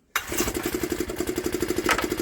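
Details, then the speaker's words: 1960s Honda ED250 DC-only generator, likely not run for years: catches at once and settles into a quick, even putter with a steady beat; running normally. "all little Honda's running there we go there we go look at that"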